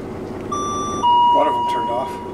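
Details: School bus conversion air brake system: a replacement two-tone warning chime rings continuously at low air, then cuts off as pressure builds to about 60 psi; warning works.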